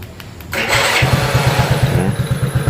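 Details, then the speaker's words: Honda C70 with V12 remote alarm, relay wired to the neutral switch, remote-started in neutral with neutral light on: quick crank catches at once into an even steady idle; starter works only in neutral, not in gear. "pada saat lampu netral hidup dia mau berbunyi"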